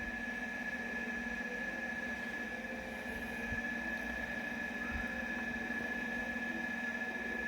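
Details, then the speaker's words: Hisense inverter air conditioner that kept shutting off within a minute because a mouse chewed a wire, after the wire was reconnected: steady, even hum with a constant high tone, no cutting out or rattles; running normally. "Yaxshigina aylanyapti, bu kameraga sekin ko'rinyapti-da."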